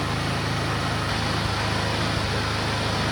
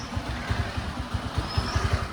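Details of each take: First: Suzuki Access scooter that runs only on choke: it runs steadily, then falls away and dies within seconds once the choke is lowered. Stalling at idle from a fault in the carburetor jet system. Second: Suzuki Access scooter that previously ran only on choke and stalled at idle, fault traced to the carburetor jet system: low steady putter of the small single at idle, even pulses, no stalling or hunting. Normal idle.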